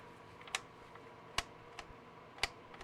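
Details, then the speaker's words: Vintage console at power-on: sharp clicks roughly every second, no fan or drive spin-up; it just clicks and won't boot. "It just makes a clicking noise when you turn it on. And I bet you if we try this one, it will do the same exact thing. It will make a clicking noise and do nothing else."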